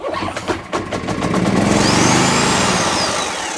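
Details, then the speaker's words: Homelite HG600 generator with Yamaha engine, tip find, before carb clean: a few pull-cord strokes, it catches and revs a couple of seconds then dies out, won't keep running on its own. "now it's going to fire for a couple of seconds appeal so don't don't be too too alarmed okay"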